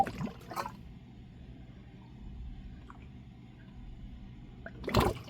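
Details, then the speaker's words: Rheem AC air handler drain clean-out pipe in heavy rain with AC off: irregular gurgles and splashes, water sitting in the line rather than flowing away. Happens only when it rains; owner suspects a blocked or badly pitched drain line. "The drain is not working properly. Here it goes. You could hear it gurgling. It's not draining."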